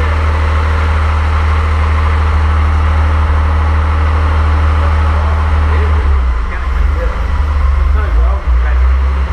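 Deep, steady low rumble that stays even throughout with no knocks or misses; the rebuilt engine runs smoothly.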